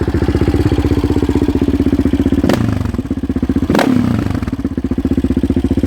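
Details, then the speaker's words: 2016 Yamaha Raptor 700 SE single with 11.1 compression piston and Hot Cam stage 3, exhaust at idle with throttle stabs: loud, choppy idle, hesitating on the second blip; it is running a little rich and needs more auto-tuning. "It is running a little rich. You'll probably be able to hear that. It stuttered a little bit on one of the throttle stabs I gave it."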